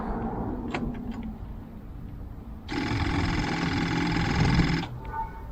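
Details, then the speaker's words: Morris Minor unused since 2013, cranked on jump pack with fuel line disconnected: loud rapid electric fuel pump chatter about two seconds then stops; pump possibly without fuel, connector not reconnected. "okay what's going on in the way of um you can hear the fuel pump chattering away because of the chatter quite a lot"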